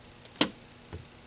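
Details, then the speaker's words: 1981 Sega Frogger arcade board set with no game sound: at power-off one sharp pop through the rear speaker then a soft thump, showing the sound amp is working. "i'm gonna turn it off now see if you can hear this amp pop through the speaker back here okay ready"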